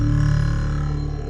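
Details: Apple HomePod playing bass: deep notes carry a flabby farting buzz with significant popping instead of a clean tone. Suspected DC offset or a bent subwoofer breaking the seal; finding is subwoofer distortion from a burnt voice coil.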